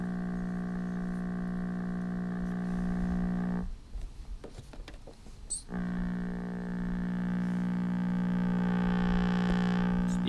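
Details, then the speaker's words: Vintage Westinghouse clock radio, circa 1955-57, on a local AM station: loud steady low buzz under the station, returning after a short break; mains hum, bad filter capacitors suspected. "there's our station that you were hearing before on this one sounds like we got bad filters"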